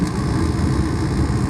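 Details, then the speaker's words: Mr. Heater 50,000 BTU MHU50 garage furnace, dead before, after reflow soldering four control board terminals: steady, even low roar from blower and burner with no clicks, surges or rattles; running normally. "There we go. A little bit of reflow solder, and I think we fixed this board."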